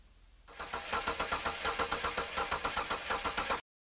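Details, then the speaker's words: Engine cranking at about four beats per second with unequal beats during a mechanical compression test; one stroke keeps sounding lighter, pointing to a mechanical misfire from low compression in one cylinder. "Okay, so as you can tell that our engine here is not sounding like it should. It's not all the same as you're cranking over."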